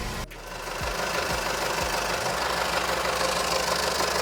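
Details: 2007 VW Jetta GLI, 2.0T FSI EA113 (BPY), idling, mic in engine bay: loud regular metallic knocking about three times a second tied to engine speed, with intermittent oil pressure loss and code P000A; failed oil pump drive chain.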